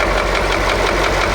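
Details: KAMAZ YaMZ-238 diesel at idle: a steady underlying knock in the clatter. The owner suspects cylinder 7 (cylinder 5 slightly) and plans to remove the injectors and measure compression. Cause not confirmed; engine knock at idle.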